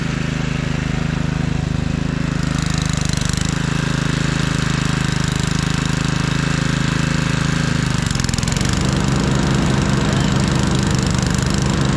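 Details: 1997 Craftsman II rear-engine rider, 13.5 hp Tecumseh, mowing under load on test run: quick, even single-cylinder thumping about four per second holding steady; carb now running great, smooth and quiet.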